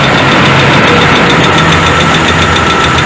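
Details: Citroën C3 2010, hot engine at idle: steady fairly quick knock of three to four beats per second; engine knock traced to low oil pressure, with high consumption.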